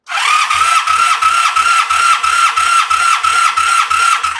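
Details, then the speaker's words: 1985 Honda Sabre V65, cylinder 4 compression test on the starter, ignition left on: steady starter whine with even pulses about three a second, none missing; very high compression, most likely from oil in the cylinders. "Yeah, same deal. I mean, very, very high compression. So that's the oil, most likely."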